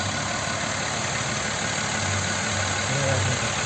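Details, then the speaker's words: Audi Q7 3.6 FSI VR6 at idle: quiet when cold, then a loose, uneven rattle of roughly three per second that grows as it warms. Compression and injectors were checked, and the cam phaser was found to have play. "появление шума двигателя вот звук он постепенно так издалека начинает появляется вот уже по мере прогревания оно усиливается"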